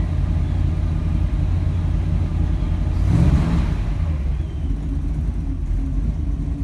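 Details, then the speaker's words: 1948 Mercury coupe V8, warming with oil pressure 60 psi, a little above with revs: deep, even idle rumble with one quick throttle blip that settles cleanly. Owner notes slightly rich running lately. Normal idle. "And the water temperature is starting to climb, but we're still at 60 psi of oil, and with some rev it climbs a little above 60."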